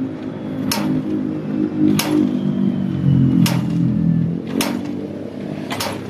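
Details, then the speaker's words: Honda CB125 single-cylinder motorcycle started after reassembly of the crankcase and cover to fix an engine noise: it settles into a soft, even idle with no knocking, apart from a few handling clicks nearby. The engine is now quiet. "Guys, okay na po si CB. Tahimik na po ang makina."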